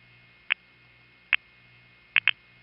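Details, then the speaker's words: Panel switching office in New York City, 1977 recording of dial pulsing: two clean pulses, then a third pulse doubled into a quick pair from a bouncing relay contact, making the midtown tandem count four instead of three pulses. "sounds like only three pulses but if you listen even more carefully you can hear that the third pulse is doubled indicating that a relay bounced here it is again in slow motion"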